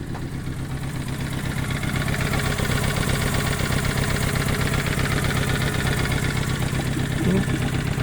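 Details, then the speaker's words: Chevrolet with previously blown head gasket and hydrolock, push-started after failing to start, blowing air into the coolant: lumpy uneven idle, low rough beat about four a second with a shaky note; owner suspects head gasket. "it started and now when i turn it on listen to this it doesn't work and it makes it sound"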